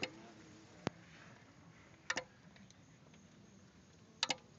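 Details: Kicker car amplifier in a quiet room: sharp, irregular clicks, some in quick pairs, a second or two apart, as the amp keeps switching on and off; cause unknown.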